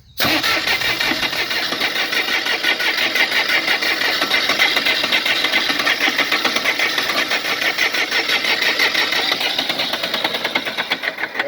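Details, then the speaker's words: Bobcat 453 skid steer diesel that won't start after being tilted while clearing debris: steady cranking at roughly two turns a second for about eleven seconds, never catching or firing; cause unknown, alternator not yet checked. "And that's all I get, fellas. It will not turn over. It does this."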